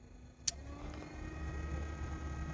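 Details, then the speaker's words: Toyota car air-conditioning blower fed power straight from the battery, bypassing the original connector: after a click the fan hum builds to a steady, slightly louder whir with no rattle or scrape; fans now working. "You can already hear the fan working. The fans are now working."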